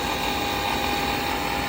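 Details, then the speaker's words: Power vent fan motor running with outside cover removed: loud, constant gritty grind over the fan hum with a thin whine; a worn, grinding motor that needs replacing. "you can hear it grinding away I've removed the uh outside cover"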